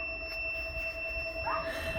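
A steady, piercing alarm tone from a power inverter that has cut out on low battery voltage.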